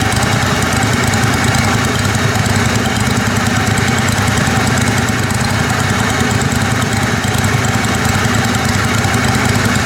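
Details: Kohler Command Pro 27hp lawn mower V-twin after head gasket repair, muffler baffle removed (possibly part of gasket failure): loud raspy open-exhaust bark with even steady firing, no misses or surging; normal running.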